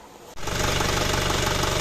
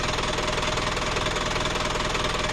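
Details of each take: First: Isuzu Panther Kapsul diesel, rough after two engine rebuilds in a month, after refitting large centre connecting gear and testing with own injection pump; even steady idle, ticking noise gone. Normal idle. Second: Isuzu Panther Kapsul diesel after engine overhaul, twice in a month, sounds rough: steady idle with coarse, even metallic rattle about two or three beats a second; loose, worn timing idler gears.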